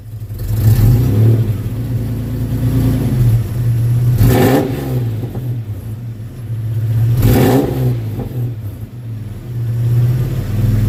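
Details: 1992 Toyota 4Runner SR5 V6 4x4, 3.4 engine swap, new Flowmaster exhaust, factory airbox, first test: deep steady exhaust drone swelling cleanly on two quick blips and settling back; normal start and free revving, owner unsure of tone.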